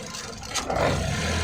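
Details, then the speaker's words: 2013 Ford EcoSport 1.5 L petrol, idling, limp mode after 15 km with P2135, P0122, P0222: wiggling ECM connector wiring makes the idle suddenly swell to higher revs after a brief scrape; intermittent wiring fault at the ECM coupler. "ये क्या इधर हाथ लगाने से कुछ तो हुआ live data में बदलाव आया और इंजन स्पीड भी चेंज हो गई कुछ तो है इन कपलर के वायर में कुछ तो है अभी देखो इंजन की स्पीड एकदम ज्यादा हो गई"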